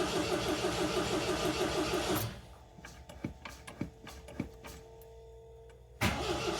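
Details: 1979 MGB, family car, cranking on choke in neutral after fuel pump and oil pressure come up; rhythmic starter chug about three beats a second that never catches, pause with clicks, more cranking. Owner blames bad fuel; crank no start.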